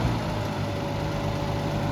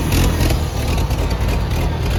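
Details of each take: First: Gas Oliver Super 77 tractor idling; steady, slightly lumpy heavy note, no knocks, engine running rich. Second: Gas Oliver Super 77 tractor with wide front and factory 3-point hitch, first start after sitting, two-stroke gas in it, no steering: low, uneven idle with deep throaty beat; it fires and keeps running.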